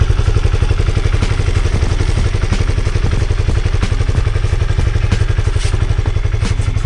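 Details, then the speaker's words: Honda CB150R single-cylinder after over five months using 100% cooking oil as engine oil: even idle beat about four pulses a second, steady, no knocking or rattle; engine idles smooth and healthy. "Suara mesinnya setelah lima bulan lebih menggunakan minyak goreng suaranya halus Mbah tetapan suaranya halus dan saya kira masih sehat-sehat saja Bah"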